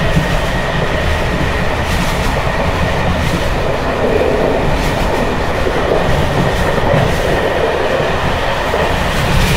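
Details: Bd264 481 coach (built 1979), Görlitz V bogies with many kilometres since last major maintenance, evening express on rough line 190 near Hluboká nad Vltavou–Číčenice, heard from compartment or open window: loud rail roar, constant rattle and clatter, no clean rhythm; loose bouncing brake gear.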